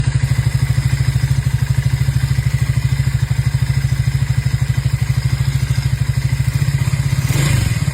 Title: Triumph Speed400 Engine Sound Problem Resolved